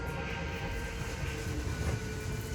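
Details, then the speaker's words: 2022 Chaparral 360IBL RV slide-out: even electric motor hum and steady whirr, no grinding or binding, slide travelling out smoothly; clicking is heard once fully extended or retracted. "and entertainment there. That'll slide out. Clicking noise again, and then slide out number 2 here is going to do your middle bunk room."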